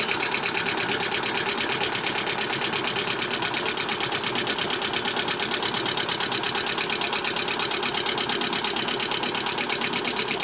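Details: Vesta engine at idle with low oil pressure: a sharp, regular metallic tapping about three times a second, steady and clearly audible. Internal engine knock; cause suspected, not confirmed.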